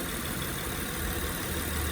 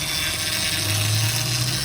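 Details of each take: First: 2007 Honda Pilot idling after topping up low power steering fluid: steady, even idle with the earlier whine from the pump sucking air now gone, showing the power steering pump works fine; normal idle. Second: 2007 Honda Pilot at idle: steady high whine over a smooth idle, from the power steering pump running low on fluid due to a leak.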